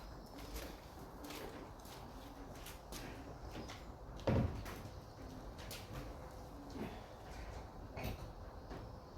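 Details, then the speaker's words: Mk2 VW Golf that sat for about 20 years: turning the key gives a sharp click and faint relay clicks at the starter but no cranking; owner plans to bridge the starter solenoid next. "I can hear the relay clicking all right for the starter, but uh it's got uh no joy from it."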